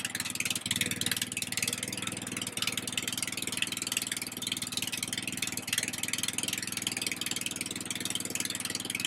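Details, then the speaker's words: Husqvarna RZ30 zero-turn mower, Briggs 16.5 hp engine, running on choke after a first muffler fix: puttering with a sharp hissy puff each firing pulse; exhaust still leaks at the muffler joint, and a flange is then cut from a washer. "I still hear a little bit coming right out of here. There you go. So, she still leaked."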